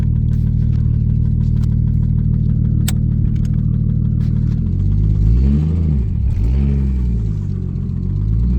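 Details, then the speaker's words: 1990 Toyota Supra turbo manual startup: starts up well, then idles with a low rhythmic knock rising and falling with revs. "here is a startup of it starts up pretty good and everything just got that knock"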